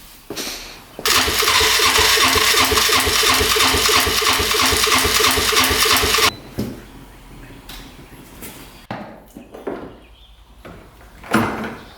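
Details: 1997 Polaris Magnum 425 6x6 ATV restart: runs about five seconds with regular popping about three per second through the carb, then dies; engine otherwise smooth; owner guesses unprimed fuel pump running it lean.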